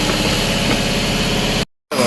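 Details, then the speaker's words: 2011 Jeep Grand Cherokee 3.6L with a used engine and harness, running with coils jumped from the harness: uneven, lumpy idle and choppy exhaust beat, cylinders 4 and 6 not firing, on four cylinders. Suspected open in the harness behind the engine. "ran out of space, but you can see we are running on cylinders 1, 2, 3, and 5. 4 and 6 are not firing, but we have this because we have a jump."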